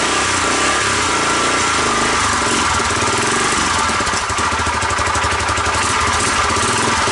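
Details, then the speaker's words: 1985 Honda ATC250SX with Astro 4-wheel conversion, cold first start; spark and compression good. Rough, clattery rumble with uneven rapping from the head area at idle; owner suspects the oil filter was fitted backwards, starving the head. Unconfirmed. "the oil filter might have been put in backwards might the oil filter might not be in correctly and if you do that it makes it sound like the head"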